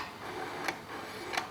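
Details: Nikon 70-200mm f/2.8 VR AF-S lens with lens cap on, autofocus hunting full range closest to infinity: faint quiet whirr with soft click at each end, roughly every 0.7 seconds; normal autofocus motor sound.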